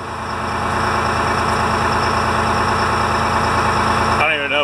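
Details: Detroit Diesel fire truck whose alternator wasn't charging the batteries, started with one battery charged and the gauge near 12 V. It gives a steady, even diesel idle drone with no misses or knocks, and then shows charging.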